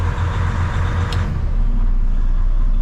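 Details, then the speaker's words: 2012 Western Star log truck diesel at idle with enough air pressure: cruise turned off to release the cruise-locked fan; fan roar changes and settles after about a second as the fan shuts off, normal fan clutch disengagement. "Fan should shut off. Shutting off."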